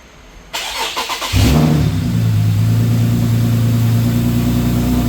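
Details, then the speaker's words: Infiniti G37x AWD after a starter replacement; the old starter cranked very slowly despite a good battery and good voltage. Now a brief, brisk crank under a second, then a clean catch and steady idle. Normal start. "As you see, it worked. I knew it was the starter. Look, it just started right up. You see that? That's how it really supposed to start."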